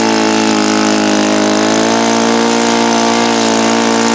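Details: Saito FA-82a four-stroke model engine, extremely low time, leaned toward peak at start: high buzzy run with a slightly wavering pitch; unstable near peak RPM, treated with break-in richening and leaning, cause unconfirmed.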